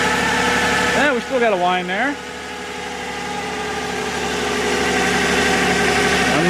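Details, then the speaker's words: 2011 Toyota RAV4 V6 FWD needing a transmission, after adding three quarts Valvoline MaxLife: steady high whine over smooth idle that stops when put in drive; transmission whine at idle suspected. "it's amazing how the whining quits when you put it drive"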